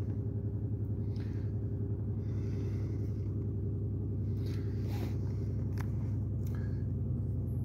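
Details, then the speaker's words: 2008 Pontiac Grand Prix 3.8L V6, 148k miles, check engine light: deep lumpy uneven idle, serious misfire; cylinders 5 and 2 misfiring, no spark at cylinder 5 wire, shared 5/2 coil pack suspected. "very rough idle I don't know if you can hear that got serious misfire so let's see what we got"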